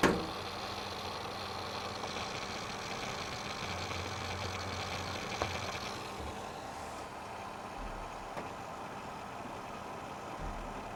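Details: Seagate Barracuda 2TB 5400 rpm hard drive gives a steady hum and a hissy whirring that changes and drops off partway. The noise started recently, software tests show good performance, and the cause is unknown.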